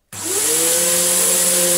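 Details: Samsung SU3364 upright vacuum, 1800 watt, part-exchange unit, switched on: steady high motor whine under loud hissing air rush, sounding like a huge air leak; later found airway completely clogged, forcing pressure out elsewhere.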